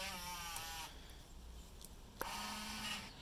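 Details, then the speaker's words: Yamaha Bruin 350 ATV: switchable 2WD/4WD actuator operated, though the indicator light doesn't come on. Short electric motor buzz, quiet, then a second buzz; the actuator engages normally. "switchable two and four wheel drive that does work as you can hear"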